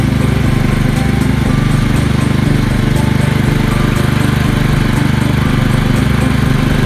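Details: Single-cylinder engine on belt-drive hauler after fixing carburetor flooding (needle not seating, gas from muffler): steady, even beat at full throttle, no misses, stumbles or popping; purring, no fuel leaks.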